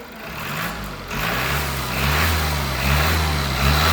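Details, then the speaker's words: Mazda Skyactiv diesel revved after injector replacement, new injectors not yet coded or pilot-learned: clean pickup through blips, settles back, no diesel knock or smoke; healthy revving. "no diesel knock no smoking and the injectors aren't even coded"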